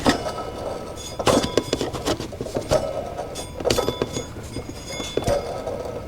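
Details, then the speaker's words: Chevy SSR engine with a bad tensioner and idler: water pump pulley turned by hand gives gritty, scraping rasps in uneven bursts, with play; the water pump bearing is worn and the pump needs replacing. "I don't think it's power steering pump guys and I don't think it's a motor we've got an idler that's bad or sorry a tensioner I mean that's that's bad tensioner is bad idler's bad listen that water pump listen to it grind"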